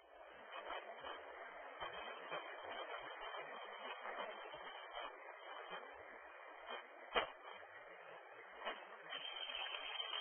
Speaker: So you can hear it with that file, a very quiet sound as the ball is rolling through the pipe, and then as the ball enters into the pocket of trapped gas, you